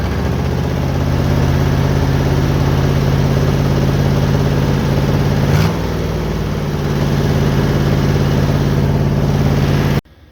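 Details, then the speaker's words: 1972 GMC pickup with a worn 350 small-block V8, barn find just revived, oil-ring seal additive added: a steady, fast V8 idle with an even low drone and no dips, still smoking. High idle, turned down slightly. "I had to shut it back off I turned the idle down just a little bit but uh yeah still smoking"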